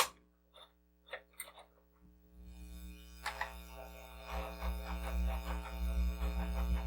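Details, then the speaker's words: Commodore SX-64 built-in floppy drive: low hum, then a rough rattling tick about three times a second, and a slow directory load. Owner suspects the head needs cleaning and the rails need lubrication. Noisy floppy drive. "doesn't sound too healthy it's taking a long time to pull up this directory as well so I'm thinking the head probably needs cleaning"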